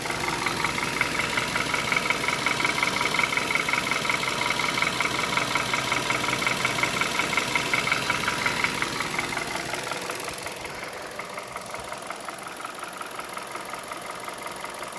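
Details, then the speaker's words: 2011 Hyundai Solaris G4FC, 166k km, warm idle ~700 rpm at 69–77°C: quick regular ticking knock about three per second, source not pinned down; new chain fitted and tensioner adjusted didn't cure it, decoking done; owner suspects crankshaft sensor. "и пять даже натягивал на новой цепи бесполезно стук не уходит но стук такой"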